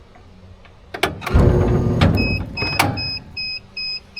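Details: Homebuilt electric steeple-cab trolley locomotive running on a 3000 W generator through an undersized inverter: a brief surge of motor and gear noise, then a pulsing electronic beep as the inverter trips on overload.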